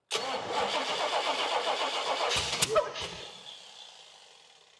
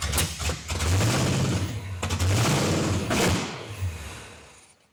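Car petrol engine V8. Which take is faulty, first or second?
first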